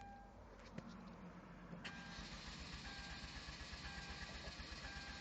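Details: 2.0T Hyundai Genesis Coupe with year-long intermittent no-start: starter turns engine over about four beats a second under a repeating chime but it never fires; sometimes cranks with no ignition, other times won't crank; owner says battery isn't the cause.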